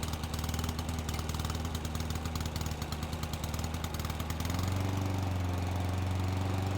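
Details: Old Honda IZY HRG466 lawn mower, unused for 12 months, just started with fuel: the engine picks up and settles into a steady, even putter with no knocks or misses. Healthy, normal running.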